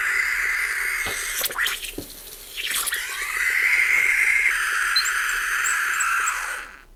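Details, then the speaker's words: Gaggia Cubika espresso machine after full disassembly and repair with no new parts, pump off: steady hiss of escaping steam with soft irregular ticks and gurgles, then stops; steam wand working normally again. "You can hear gas coming out of it. You can see some bubbles, maybe. Something's happening."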